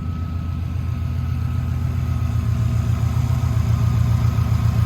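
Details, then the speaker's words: 2007 Subaru STI idling: low, steady, even idle with a smooth pulse, super quiet and well balanced, no rod knock, misfire or stumbles; normal idle. "super quiet very well balanced engine no misfiring or whatnot"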